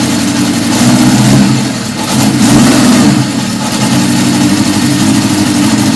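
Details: 1977 Honda CB750 F2 four-cylinder, first start after a complete engine rebuild, with a 115 main jet, stock air box and mixture screws 1.5 turns out. Revs up and drops back with a hesitant, uneven note. Owner suspects a lean mixture and plans quarter-turn adjustments; unconfirmed.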